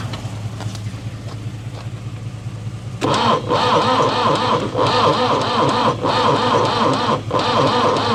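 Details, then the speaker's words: Vehicle left sitting mid-job, on a brand-new battery with a jump start and a solenoid with worn lugs: slow, labored cranking about four turns a second that never catches; cranks too slowly to start. "It's never going to start turning over that slow."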